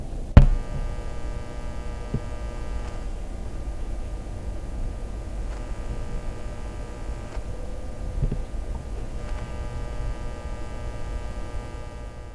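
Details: NuForce HA-200 headphone amplifier, heard through headphones via a microphone placed inside: steady low buzzing mains hum that varies with volume; caused by dead electrolytic filter capacitors.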